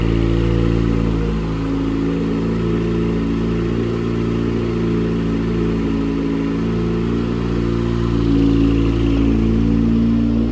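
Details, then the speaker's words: 2008 Dodge Caliber SRT4 with rebuilt 4B12 2.4 (forged pistons and rods, ACL bearings), first start: steady whirring with clattery rattle over idle; accessory drive noise, owner suspects the air compressor. "Uh, one of the accessories, I think it's the air compressor, is making a ruckus."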